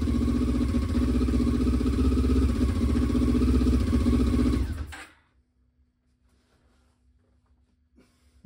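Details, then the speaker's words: 1996 Honda CB500 twin, not run in over six years, first start: uneven, lopsided idle about five seconds, then cuts out; running on only one cylinder. "we're definitely only running on one but that's fine that's why you've got two cuz one's a spare"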